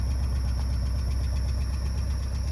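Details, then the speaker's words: Porsche 944 engine at idle during oil leak repair: thin, constant high-pitched squeak above the engine note, fading when revved; suspected sticking control valve behind oil filter housing, not confirmed. "There's a control valve behind the oil filter housing on these Yeah? that gets stuck. Oh. And maybe it's And that's why you're getting that squeaky."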